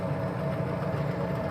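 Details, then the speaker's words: Old furnace blower fan after replacing worn fan bearings that caused a squeak, belt pulleys aligned: steady, even low hum, much quieter, no scraping, squeal or knocking; normal running after repair. "there we go it's turning it's much more quiet way better than it was I'd say we have a fix"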